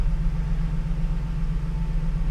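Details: Ford Transit van with cracked intake manifold (coolant leak) after repair, heat verified: steady even low rumble at idle, no ticks, misses or hiss; normal idle.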